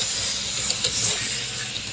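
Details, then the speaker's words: 3DLS all-lead-screw 3D printer during fast Benchy print, after firmware tweaks and replacing two burnt-out cooling fans: steady even high airy hiss, no rattle; cooling fan now working normally. "The fan works now. You can hear it going."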